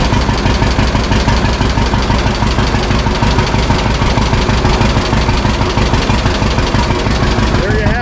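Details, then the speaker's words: 1952 John Deere G two-cylinder tractor just started after about four years stored, after refuelling the correct tank and fixing leaks; slow even putt about three beats a second, steady and unhurried; owner says it always idled down well: normal idle. "good pretty good an old so scratcher always did idle down really good"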